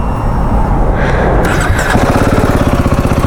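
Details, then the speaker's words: Royal Enfield Himalayan 450 single-cylinder at fresh-start idle: even thump with a light "tak-tak" tapping from the cylinder head. Said to have been present for two or three months; suspected tappet noise, unconfirmed. "ಟಕ್ ಅಂತ sound ಗೊತ್ತಾ head ಅಲ್ಲಿ ಟಕ ಟ ಅಂತ head ಲಿ ಟ್ಯಾಪೆಟ್ ಟ್ಯಾಪೆಟ್ sound ಮೊದಲು ಇರ್ಲಿಲ್ಲ ಆಗೈತು ಅದು"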